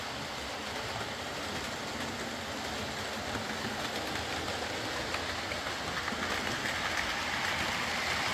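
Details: Old Lima Class 40 model locomotive in BR green, originally dead with front bogie issues, now running on a completely replaced motorised chassis; soft, even whirr with light steady rail clicking, no surging or grinding, running smoothly.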